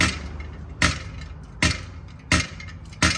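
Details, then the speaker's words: Removed clutch pressure plate, gears would not engage when hot, shaken by hand; loose metallic rattle about every 0.7 s, diaphragm and internal rings shift when heated, plate worn and unusable. "un plato cuando ya no sirve ya se oye flojo soy yo ronco nada más al tito se mueve"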